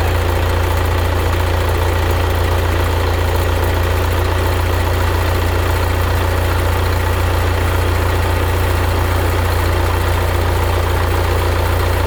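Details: 1975 Case 680CK backhoe diesel first start after long storage, following oil change (water found in crankcase), coolant, hydraulic oil and new batteries: deep, even idle with steady low thrum, no stumbling or misses; normal idle.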